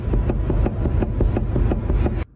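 Rapid, hollow knocking, about six a second, deep and thuddy, from a worn steering rack.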